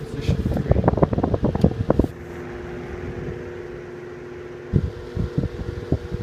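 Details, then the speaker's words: Antique 12" Westinghouse fan switched from position 1 to 2 and 3, audibly speeding up. After switch clicks, an even steady hum with no rattle. Normal running at high speed. "Let's go ahead and switch it to position 2. And you can hear it speed up."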